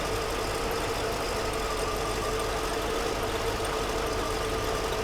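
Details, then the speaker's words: 1990 Mercedes 560SEC (W126) after replacing both fuel pumps and the fuel filter to cure stalling: quiet, even idle with steady hum, no misses or hunting; normal idle, stalling apparently fixed. "By Jove, we fixed it, I think."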